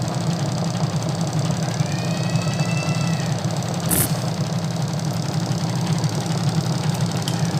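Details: Sharp single-tub automatic washing machine converted to manual timer, after rewiring: smooth constant low motor hum without grinding or clunking as the tub spins; healthy spin cycle.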